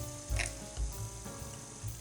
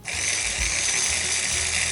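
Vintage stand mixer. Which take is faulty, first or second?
first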